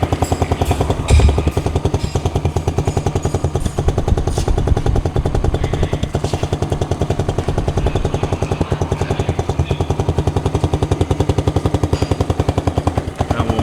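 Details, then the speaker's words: New Kayo Bull 125cc ATV first start after crate assembly: small single fires instantly and settles into quick, even putter with steady thump, no knocks or rattles; healthy idle. "We'll be able to crank it up and see how the first fire up does. Oh yeah. Fired right up, son."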